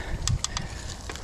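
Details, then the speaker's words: Hyper Carbon X 29er full-carbon Walmart mountain bike, one-by setup, ridden hard on a trail: a few sharp pops and creaks over a quiet background. The source is unknown, though the carbon frame is unbroken. "it's kind of holding up pretty good the carbon hasn't broken yet so that's that's saying something i guess but boy there's all kind of creeks and pops and"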